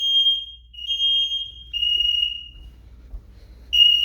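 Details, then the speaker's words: DSC alarm in test mode, living room smoke detector, an instant zone, set off with its test button: piercing high-pitched tone in pulses about a second long with short gaps; smoke alarm sounding properly on test. "we're gonna go ahead and push test and uh get the alarm set and never do this unless the system's in test mode or else the fire department will be sent"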